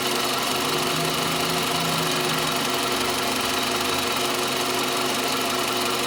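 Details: Toyota Camry 40, 2.4 engine: a sharp, ringing knock, roughly two per second and always present, rides steadily over the running engine near the alternator; the source is not yet pinned down.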